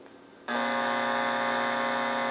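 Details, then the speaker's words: Bearcat BC-210 scanner recovered from a dumpster, fed about 3–4 microvolts from a service monitor: loud, steady, even-pitched buzz holds constant; very noisy on weak signal, power supply ripple checked next, cause not yet found. "And I'm getting uh a lot of noise here. That doesn't sound good."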